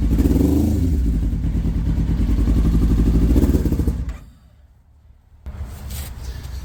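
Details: Kawasaki ZX9R at 42,965 miles, first start attempt during restoration: lumpy, stumbling idle that fades and dies after about four seconds, seemingly not firing on all four cylinders; carburetor clean and rebalance planned, plugs possible, cause not confirmed.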